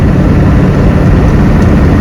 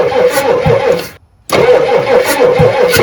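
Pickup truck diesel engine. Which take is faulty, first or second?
second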